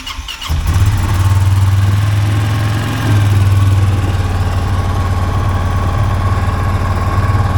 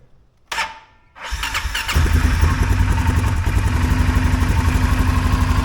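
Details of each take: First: 2023 Polaris Sportsman 570 ATV with high idle that makes shifting hard: engine settles into a steady fast drone around 2000 rpm instead of about 1200, caused by a loose throttle cable adjuster holding the throttle open. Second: 2023 Polaris Sportsman 570 ATV after fixing high idle (was near 2000 rpm, harness and throttle position sensor reworked): short starter whir, then a steady, even idle around 1350–1400 rpm with no hunting, not running away when shifted into gear.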